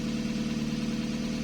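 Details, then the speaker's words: Toyota 2E petrol engine just after installing a 272-duration TRD performance camshaft, first startup then idle: light, rapid valve ticking over the hum, indicating valve clearances are out of adjustment. "now i need to go listen to this because it's sounding quite a bit valve ticky so it means that the valve clearances are not correct so that can be an issue depending on how much they're out"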